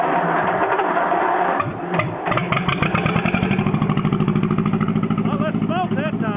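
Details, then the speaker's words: John Deere 420 Crawler two-cylinder tractor running on gas after a no-spark problem; after a rough catch it settles into an even, loping putt-putt of about three beats a second, with heavy flywheel inertia; runs normally. "boy listen to that inertia she's got a hell of a flywheel on it"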